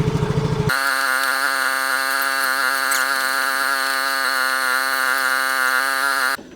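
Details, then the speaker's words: Yamaha motorcycle with a steel Takayama liner replacing the original cylinder block, warming up at idle before a test ride: steady idle with a dense droning buzz, heavier than the original block; owner suspects a tight new engine from the closer steel-liner clearance. "cuman kalau didengar dari suara langsamnya ya suara langsamnya itu tidak seperti yang blok sebelumnya ya yang orinya itu beda ini Terdengar langsamnya agak berat Ya mungkin karena motor ini kan masih seret ya"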